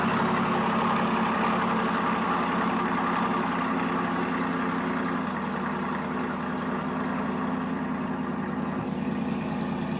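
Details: 2023 Corvette C8 Stingray V8 cold start, warming before a DCT fluid change: steady, even burble at a slightly raised cold idle, no knocks or misses, idling cleanly; normal.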